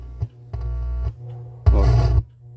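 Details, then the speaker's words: TRC-389 amplified speaker box: loud deep buzzing hum in bursts when the amplifier wiring is moved, persisting after capacitor replacement, caused by a filter capacitor grounded to the wrong point. "quando esse carrega ela dá um soco muito grande e fica roncando"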